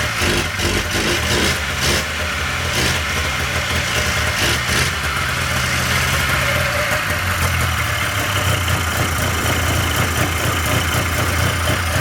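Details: 1997 Polaris Indy Classic two-stroke barn-find snowmobile on new hoses and fresh, thickly oil-mixed gas: it catches and settles into a steady, crisp ringing run with some throttle blips; running properly.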